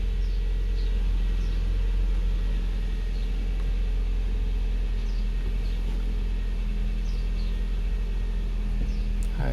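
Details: 2012 Hyundai i30, 2.0 automatic, after fixing the common steering noise: steady engine idle underneath while the wheel is swung to lock; no clunk, knock or grind, steering sounds healthy and quiet after repair.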